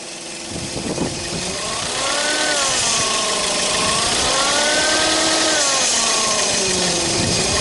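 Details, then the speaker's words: 2005 Toyota Spasio, 166k km, warmed up at idle with light throttle; wavering whine drifting up and down over the engine. Timing chain engine; suspected failing accessory bearing, alternator or air-conditioning compressor, not confirmed. "Ну похоже что какой-то из подшипников начинает подгуз может быть генератора может быть этого кондиционера"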